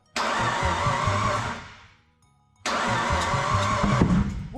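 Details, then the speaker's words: Turbo Mitsubishi Pajero with newly fitted forged big-block V6, first start attempts with flames from exhaust: lumpy uneven stumbling firing, misfiring; sounds like timing is off, possibly bad sensor, swapped coils or misplaced lead, unconfirmed. "it sounds like the timing is off but this is unlikely unless we've got a bad sensor or something obvious like two of the coils wiled up wrong or maybe a lead in the wrong spot"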